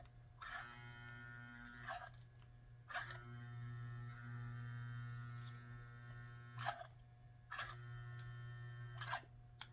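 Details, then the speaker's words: 1952 Model 342 Nickel Plate tender reverse unit before repair: loud steady electrical hum with no clicking, so the unit is energized but not cycling; owner suspects it may be locked. "I hear a humming sound, but it does not click. If the reverse unit is turning over, you will hear the clicks."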